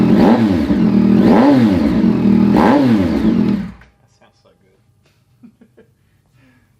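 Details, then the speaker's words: Kelpi Slipstream full stainless exhaust newly installed on a Yamaha CP3 (R9/MT09 2021+/XSR900 2022+), engine started to check fitment; clean, steady throttle blips with no slapping or ticking at the header flange plates, so no exhaust leak. "absolutely no leaks there. You would hear a bit of a slapping noise if you did have a leak on one of your header flange plates."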